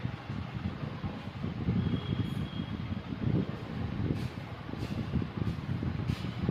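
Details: Maruti Wagon R K-series petrol engine at idle: uneven, chuffing low rhythm with irregular stumbles; misfire in cylinder 3.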